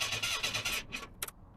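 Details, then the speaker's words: Merkur (barn find, new battery fitted, fresh gas added) cranks with quick, even starter chatter about seven pulses a second but never catches; cranks but won't start, owner suspects fuel pump or fuse. "it won't start and I have cranked cranked I'm going to put a good bit of this"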